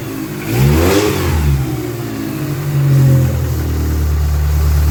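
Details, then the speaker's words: Dodge Neon stock race car engine that cranked but wouldn't start, after replacing a shorted cheap replacement sensor: catches, revs rise and settle into a smooth even idle, no misses or knocks; normal running and revving. "So that's all good. Our dead car is a living car again, and we can carry on and get back to the racetrack."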